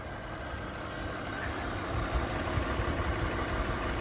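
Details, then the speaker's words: 2001 BMW E46 325i wagon, 250k miles, inline-six idling the next day after cooling-system repairs and reassembly; steady, even, quiet idle with a low smooth hum and no ticking, misfire or hiss; running normally. "All right, got it all back together. You can hear how quiet it is."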